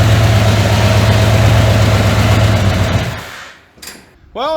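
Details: 1981 Ford F100, revived after sitting 24 years and due for a rebuild: loud deep rumbling idle with steady low pounding for three seconds, then shut off; worn crankshaft bearings, owner says the motor is toast.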